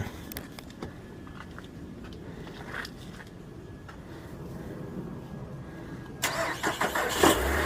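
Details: Nissan Altima with a dead battery, started using a NOCO Boost jump starter: quiet, then a short crank, engine catches at once and settles into an even idle; normal engine start.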